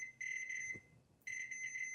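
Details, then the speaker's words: Multimeter continuity test on a guitar pedal power supply with 5-output pigtail adapter; steady high-pitched beep, drops out, returns as probe touches another output shield, continuity also across center pins; outputs are not isolated. "So if I take a multimeter, I just do a simple continuity test, you can hear the beat. If I just put this on one of the shields here, you can see it's going to hit continuity"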